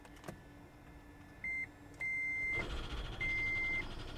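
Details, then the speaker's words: Salvage hybrid with about 162,000 miles, at ready: three high chimes of differing length over quiet cabin hum as engine seems to stall; check hybrid system warning, gas engine sounds sick. "ooh what is that is the engine trying to stall whoa did you guys hear that did you hear that what was that check hybrid system"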